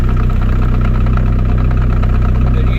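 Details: Land Rover idling, gearbox with worn second gear: rapid, steady low knock coming through the gearbox; exact part not yet pinned down, gearbox may come out.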